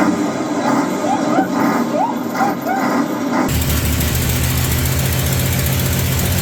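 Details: 1965 Mercury Comet Caliente, not run in 10 years, run on fuel fed into the carburetor after its timing was retarded slightly; after some initial chatter it runs steady and even with no clatter, knock or banging, so the engine is judged probably good.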